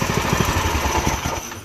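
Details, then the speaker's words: Predator 212 engine swapped into a go-kart, running before its first test drive, with the throttle return spring still to be doubled: fast, steady single-cylinder thump with even firing, then easing off, running pretty good. "she seems to be running pretty good."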